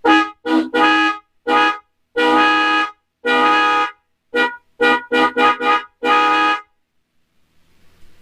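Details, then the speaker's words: 2026 Can-Am Spyder RT with a new MotoHorn Dual Track 400 + 500 Hz dual-tone horn kit installed with a relay: loud, steady two-note blare in a dozen short and long honks; the horn works properly. "So it works pretty good."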